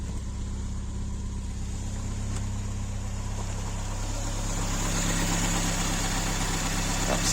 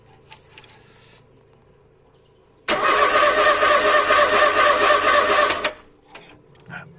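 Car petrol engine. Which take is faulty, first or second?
second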